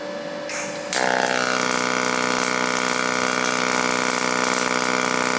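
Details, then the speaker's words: Firstess (Yeswelder) DP200 dual-voltage dual pulse MIG welder, pulse mode on, amperage and volts changing on display: after arc strike a steady, even buzz with fast pulsing hum underneath, sounding different from standard MIG; clean pulse weld bead. "So, we're in the pulse on and you can see the settings there and it's uh going to sound much different than a typical weld. And you'll see the settings change both in amperage and volts."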